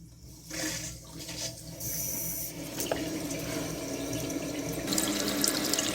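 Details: Newly installed Fluidmaster 400A universal toilet fill valve, replacing old valve; water rushes and hisses steadily as the tank fills, no squeal or chatter, fill valve working normally.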